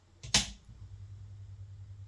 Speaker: yeah, so this is what happens when I turn the thing on. You'll hear that uh vamping noise.